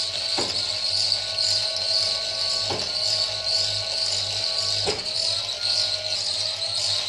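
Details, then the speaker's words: Wind turbine battery charge controller (10 A), battery saturated at 14.5 V DC: sharp single clicks about every two seconds over a steady high hiss as the relay brakes the turbine, which stops spinning; brake relay clicking. "देखो , यह 14.5 है और यह break click कर रहा है, क्लिक करें। तुम्हें वह ध्वनि थोड़ी अधिक सुनाई देगी।"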